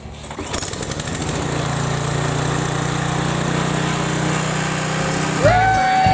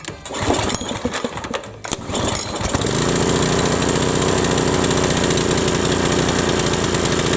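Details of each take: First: Briggs & Stratton 7.75 Ready Start mower engine after replacing the governor/oil slinger gear, governor arm untouched, tab bent straight; brief pull, then steady, even drone with no misses or knocks: running normally. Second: Briggs & Stratton 7.75 Ready Start mower engine whose governor tab had been bent; catches after a few pulls, then holds a high, hard, unchanging buzz well above normal speed: racing from a broken governor inside.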